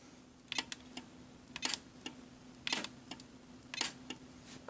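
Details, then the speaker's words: DZ1000 switch machine on the Y switch via ASC2, thrown from iPad and Legacy remote: sharp clicks about once a second with faint whir between, no grinding; switch throws cleanly. "And it throws from the legacy remote. That's what I was doing just there, without making any grinding noises. In fact, all 3 ways I have for control operates fluidly."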